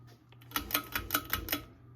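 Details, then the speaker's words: 1988 Encon Premier Deluxe 42" ceiling fan on medium, about 120 RPM: quick even dry ticks over low hum from worn motor bearings. "I think why this one's a little bit slower is because the bearings are in far worse condition than that fan, which you'll hear here in a minute."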